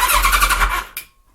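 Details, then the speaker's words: Kawasaki ZZR1100 (ZX-11) with newly installed Ignitech standalone programmable ignition, trigger set to positive polarity: quick cranking pulses under a second, then cuts out with one sharp click, suspected start relay or some relay, unconfirmed. "I'm not quite sure what the click is though. Yeah, probably start relay. Or some relay."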